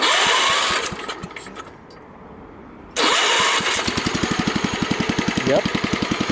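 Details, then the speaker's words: Kohler K141S single-cylinder push-button-start engine, cold start with a little choke: starter cranks, brief pause, fires at once and settles into even idle, about four beats a second — normal cold start and idle. "okay so turn it on if I just give this a little choke hit the start button it'll probably fire right up"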